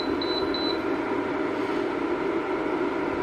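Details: Electrolux single induction hob brought in for cracked glass and a fault, powered up on the bench. A few quick high beeps, then a steady, even mid-pitched hum with no crackle. It detects the pot, draws about 8 A and operates normally.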